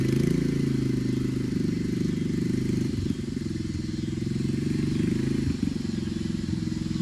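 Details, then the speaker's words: Coleman CC100X mini bike, brand new 212cc Hemi engine with governor and oil sensor removed, torque converter installed: loud steady single-cylinder thump at fast idle with brief dips in speed. Normal running, loud exhaust, needs adjusting. "here she is it fires up I'll go ahead and do that right now it's a little loud got to adjust"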